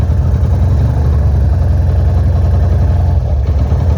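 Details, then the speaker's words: GL motorcycle just fitted with replacement carburetor: steady, even low single-cylinder rumble with smooth unbroken beat at idle; normal idle, air mixture screw still to be tuned. "Oke cuy, kita setelah coba pasang, kita mencoba menyalakan. Asik gak tuh suaranya sih?"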